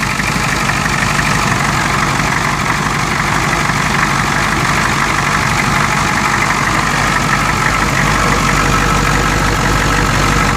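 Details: 1992 Ford 7.3 IDI diesel at idle with uneven thumps near three per second and irregular puffing. The random misfire comes with blowby that comes and goes. Teardown found the second ring broken in half on two pistons and one bad valve guide.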